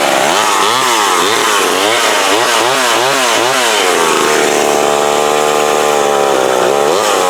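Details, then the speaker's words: McCulloch Mac 120 chainsaw after carburetor adjustment-screw tuning: revs up and down cleanly with the throttle and settles to an even rasp; runs well, may need slight further tweaking. "There we go. That is that McCulloch Mac 120. So the thing about having me wore out, all it needed was a carb adjustment."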